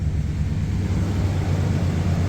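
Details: 1990 Chevy Silverado V8 rescued from scrapyard, fluids topped off, warm, idling: steady even low rumble, no ticking, exhaust leaks or smoke puffs; healthy normal idle.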